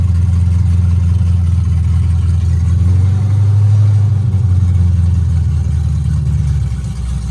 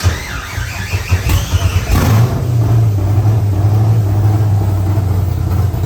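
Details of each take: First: C5 Corvette drift car V8 first start after installing O2 sensors and a new battery: catches and settles into a deep, even rumble, blipping up and back smoothly with no knocks or misses. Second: C5 Corvette drift build cranks a couple of seconds after brake clean was sprayed into the intake manifold with throttle open, catches abruptly and settles into a steady low rumble; new battery fitted.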